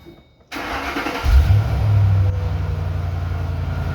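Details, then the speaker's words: 2007 Ford Mustang, start after the tire was put back on; brief cranking, catches cleanly and settles into a steady, even low idle rumble: normal start and idle. "Well, start her up. That way they can at least hear it. They haven't even heard the Mustang run."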